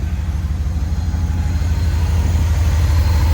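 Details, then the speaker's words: Older truck with a 5.2 V8 at idle and a quick rev, with the air cleaner missing. A deep, even rumble with a steady beat and no ticks or misses, and no exhaust smoke; the engine sounds healthy. "Give it a little rev. This thing is healthy. That's a healthy 5.2. Happy 5.2 right there. No smoke at all coming out the back."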